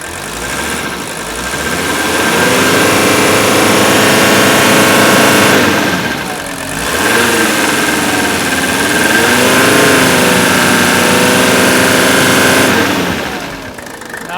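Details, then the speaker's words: Old Mercedes diesel started after pre-glow on old, unflushed fuel, idling with a steady metallic clatter over the knock, slightly surging and smoking heavily; sounds off, owner suspects fuel injectors or old fuel, unconfirmed. "don't know if you can hear that noise you have to be a little familiar with these engines but it has a little bit of a metallic sound i'm not happy with it could be the fuel injectors"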